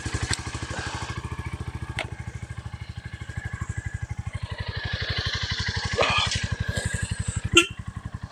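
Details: Stolen, abused Royal Enfield Meteor 350 single-cylinder, first start, kickstand up: steady even thump at about four beats a second with no scraping; healthy idle.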